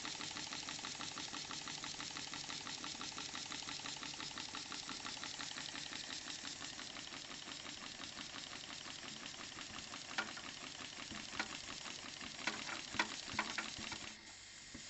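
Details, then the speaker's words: New Stuart D10 twin steam engine on compressed air at 500 g, both cylinders fed, drain cocks open adding air hiss; quick, even chuffing beats, smooth normal running. "En anglais, on dit que le fonctionnement est smooth. Il est doux."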